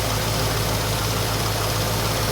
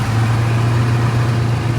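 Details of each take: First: 1973 AMC Hornet after vacuum repairs, with the ignition timing set dead on: a steady, even idle with a smooth low rumble and no knocks or misses; a healthy, normal idle. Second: 1973 AMC Hornet after vacuum repairs, warming up before timing is set: loud low drone with an uneven, lumpy beat at idle, stalling when the throttle is released; better than before.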